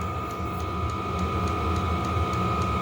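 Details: Heater (upgraded unit with fob start, restarted after shutting off while sand bucket was filled) running normally as temperature climbs from about 51° to 60°: steady fan whine and combustion rumble, fuel pump ticking evenly about three times a second.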